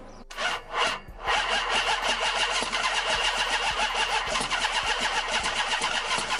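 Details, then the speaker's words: 2005 Chrysler 300C 5.7L Hemi during a rebuild: steady, even starter cranking that never catches. Owner says it has spark, fuel, air and new spark plugs, yet it cranks and won't start. "i've got spark i've got fuel i've got air i've got ignition i've got everything you need to make this car run everything cooling all anything you need i got brand new spark plugs"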